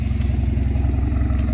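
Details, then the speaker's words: 4-cylinder turbo LTG Camaro with freshly built forged engine (ZZP pistons and rods), first drive: steady even idle, no ticking or injector chatter; earlier noise quieted, thought lifters needed oil or fuel pressure. Sounds healthy. "Sounds all right. Sounds healthy."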